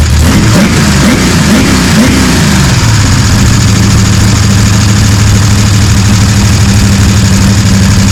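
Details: Gen 3 Hemi V8 on an engine run stand with Holley accessory drive, pre-lubed, fire-up; catches, blips up, then settles to a steady, even idle with no knocking or clatter; sounds solid, normal idle.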